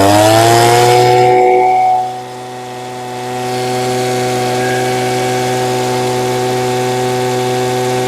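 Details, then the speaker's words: Old two-stroke blower, untouched and untuned, running so well it is left alone, before a hard restart: a high buzz drops cleanly off the throttle, then settles into a steady, even idle; healthy. "Those really don't do much, but it's running so good, I hate to mess with it anyway. Try a hard restart."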